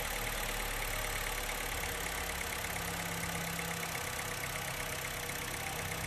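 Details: Honda Fit after fault codes cleared, new brake fluid and throttle body work, before throttle adjustment: steady, even idle, unchanging hum, no knocks or rattles; earlier engine noise gone, normal idle.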